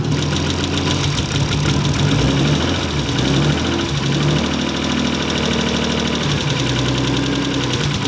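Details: Car started after teardown to fix a gnarly noise when pulling away in gear: steady idle with a light, regular knock ticking over the engine note, felt through a screwdriver used as a stethoscope; cause not pinned down.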